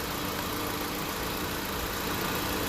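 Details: 2016 Honda Civic on R1234YF during a low-side recharge: steady whir and airy hiss over a quiet idle, no cycling or rattle, compressor clutch spinning and fans on; compressor and condenser fans running normally.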